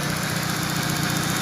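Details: Citroën, gas-converted, after fixing the voltage problem that caused stumbling around 2,000 rpm on petrol: steady, even idle with a smooth low hum and no stumble or misses; healthy.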